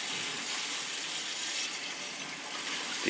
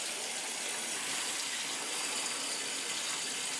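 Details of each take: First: Crown gas boiler (converted from oil, installed 3-4 years earlier), purging third-floor heating zone: steady rushing water then sharp sputtering bursts as air purges; feeder possibly stuck, air in the zone. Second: Crown gas boiler heating zones after purging all three zones (third floor had air): smooth, even hiss of water through the pipe with no gurgles or air spurts; zone flowing cleanly.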